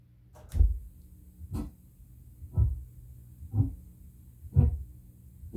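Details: Prerecorded tape playback, volume raised about 10 dB: low dull thumps about every second, evenly paced with near silence between; periodic spoke noise left by improper bulk erasure.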